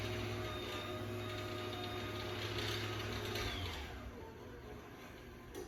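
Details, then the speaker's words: 2013 Chamberlain LW5000EV DC belt-drive garage door opener on one-piece T-rail, run without the door attached: smooth, low, even motor hum with faint steady whir, no clatter or grinding, then clean stop, normal quiet operation. "I'll run this one without the door. Get to hear how quiet it is. Here we go."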